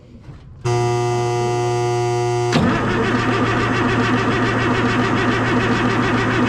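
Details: M35A2 deuce-and-a-half diesel, hard to start and lacking power, injector lines loosened during a timing check: a high starter whine, then steady cranking at about three and a half beats per second that never catches; fuel is seen squirting from injectors 1 and 6.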